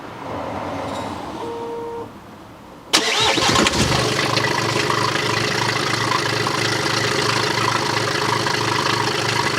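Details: BMW after low oil pressure warning repair, with the crankshaft pulley, drive belt, air intake pipe, airbox and mass airflow sensor refitted: starter cranks briefly, engine catches cleanly and settles into an even, steady idle with no knocks or misses. Healthy start.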